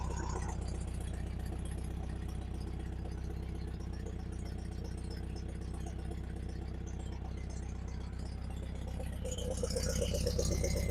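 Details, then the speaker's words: 1971 Volkswagen Super Beetle convertible Autostick, air-cooled flat-four idling in neutral at about four pulses a second with a slightly lumpy, rattly beat; rough idle, needs a tune-up. "So, it still runs a little bit rough. It does need some tune."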